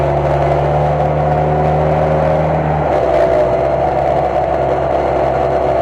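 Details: Jeep muffler: steady exhaust drone with a faint tinny clatter that shifts with revs, likely something loose inside the muffler; owner's fix was hammering the muffler to deform it so loose parts stop rattling.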